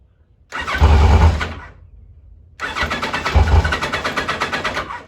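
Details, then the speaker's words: 1986 Kawasaki Concours ZG1000 four-cylinder, choke freed, nearly a quart low on oil, started on spray: two short bursts of uneven firing that die within a second; it runs only on the starting spray, likely because the carburettors are clogged. "think it's just running on the cardboard though I don't think we're uh I don't think we're running on fuel"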